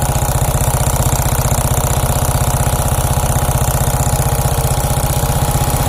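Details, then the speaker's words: Suzuki Shogun 125 motorcycle, hot idle after 5-10 minutes warm-up (smooth when cold): a steady, rough crackling tick about three per second on the engine beat. Valves and cam chain tensioner already adjusted without a fix; cause unknown, top end to be opened. "Hai mungkin teman-teman dengan reaksi ini ketika waktu mesin panas bunyinya ngecek kretek-kretek kayak gitu ya"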